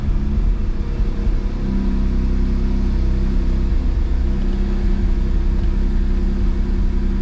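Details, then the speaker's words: Mazda RX-7 FB rotary awaiting a rebuild, losing coolant to an unknown place: catches with a lumpy uneven rumble, then settles and idles high. Rough start. "but it will have a rough start you will most likely hear it"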